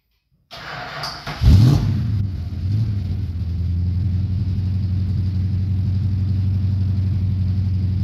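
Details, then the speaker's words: 1969 Dodge Coronet 500, believed-stock 440 V8, 4-speed, nearly cold (last run under a minute an hour earlier); carburetor never serviced after sitting for years. Short crank, catches with a blip, then a deep, slightly uneven loping idle. Rough running. "it's just a stock 440 is what I believe it is um nothing fancy and it's not running 100 as good as it could just because you know like I said I never even took that carburetor off and it was sitting for who knows how many years"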